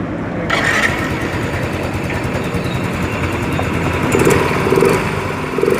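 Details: Yamaha Mio Fino 125 FI scooter, after disassembly to trace a clicking noise: fires after half a second and runs evenly with light throttle blips, no clicking from the top end; normal idle.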